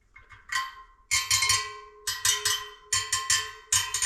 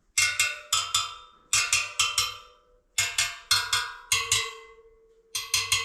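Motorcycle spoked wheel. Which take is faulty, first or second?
second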